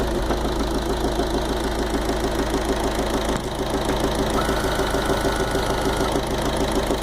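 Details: Fiat 500 Dualogic at idle, even idle with regular light knock about three per second; mechanic suggested bearing (bronzina) or water pump, loose rubber also wondered about; cause unconfirmed.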